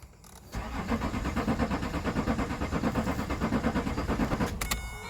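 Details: Vauxhall Vectra 3.0 CDTi V6 that cut out, ran on easy start but wouldn't rev, and died on braking: starter cranks steadily at about three compression pulses a second for four seconds, but the engine never catches; cranks, won't start.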